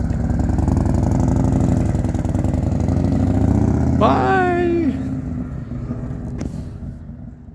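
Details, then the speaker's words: Harley Evo V-twin motorcycle after a blown-motor rebuild (new motor, cam breather gear, Torrington bearing, stator, motor braces), pulling away: an even rumble fading off with no knocks, ticks or misfires. Runs smooth and healthy. "what a good day sounds like a million bucks this this motor is like really [ __ ] nice oh yeah real smooth running real good"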